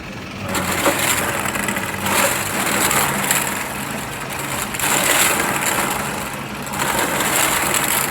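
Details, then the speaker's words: Quick Drop arcade game with a stopped turntable and one bucket full of red balls: continuous rough grinding swelling about every two seconds; owner believes it is the empty ball trough turning with no balls to feed it. "That sound you hear is just, I guess, the ball trough. You know, it just kind of keeps turning and turning. It's looking for balls. There's no balls in there, so that's why that's turning."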